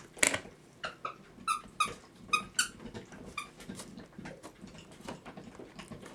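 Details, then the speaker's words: Letting down the mainspring by hand, without a spring winder, on an antique Sessions kitchen clock movement with alarm from about 1905: irregular scraping squeaks and bright grinding chirps as the spring grinds on its arbor post. "if you hear that noise you're grinding your teeth on the"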